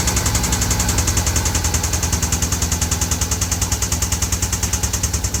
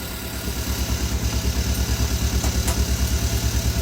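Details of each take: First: 2014 Hyundai Veloster Turbo engine, freshly rebuilt with machine shop work, at idle with the brake pedal plug unplugged: a hard, fast, even, deep metallic knock of about three per second, like a rod bearing; the owner suspects cylinder number two, possibly an overheated piston. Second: 2014 Hyundai Veloster Turbo after second engine teardown and rebuild, fresh oil, first start with engine open: even steady idle, soft pulse about three per second, no knocking or ticking; quiet, healthy, normal.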